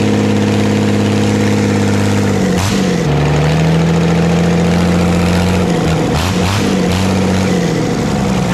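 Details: Old Dodge 12-valve Cummins diesel, just started with ether while smoke came from the starter: it runs with a rough, uneven growl and a chattering clatter that dips and surges. Owner calls it a bad internal noise; the cause is unknown.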